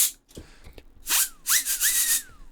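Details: Small cooling fan from an Intel X520-T2 10Gb Ethernet card's original heatsink, spun up in bursts: rough, airy whine that rises then sags, audible bearings, from worn fan bearings.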